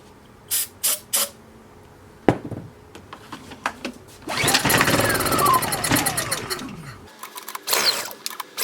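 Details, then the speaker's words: Honda EU2000i generator after starting spray to draw fuel into the carburetor bowl: a few pull-start tugs, then a short rising buzz that dies within seconds. A fuel pump issue is suspected. "all right I think we've got a fuel pump issue so let's um let's take a look at this fuel pump"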